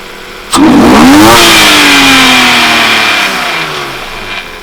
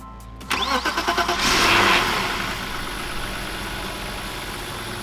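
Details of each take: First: 1995 BMW E36 325i after replacing the cracked intake boot and air filter and cleaning the clogged MAF: starts cleanly, revs briefly and settles to an even idle with no stumble; running better. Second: 1995 BMW E36 325i: cranks, catches and holds a fast, steady idle around 3000 rpm; unmetered air from a cracked intake boot between MAF and throttle body, with a rusty, clogged MAF; boot replaced and MAF cleaned.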